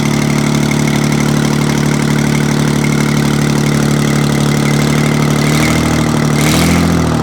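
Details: Detroit 6V-92 two-stroke diesel, first start after overhaul: deep, steady drone that picks up cleanly when revved near the end, smooth and even with no knocks or misses; normal revving.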